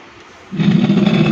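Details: Cemex 9898 home theatre after a no-power repair, powered on for a sound check: after hiss, a rough buzzy crackle rides on the top speaker output in every mode while the bass is fine; the cause is still unknown.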